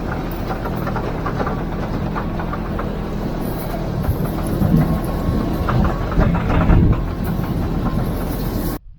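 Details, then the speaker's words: 2025 Kawasaki KRX 4 Blackout Edition on rough terrain: irregular hollow clunks from the Fox shock crossover rings on big bumps or fast washboard, annoying but not harmful. "well that's the crossover rings for some reason when you hit these really big bumps and it doesn't even have to be big bumps but if you're going fast on uh a lot of washboard you'll hear that noise it's like a clunking noise and it's just annoying"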